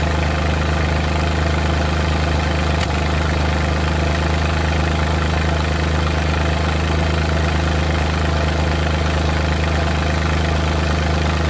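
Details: Suzuki Multicab F6A engine held slightly above idle, uneven stumbling beat with occasional dropped pulses and irregular shake: random misfire.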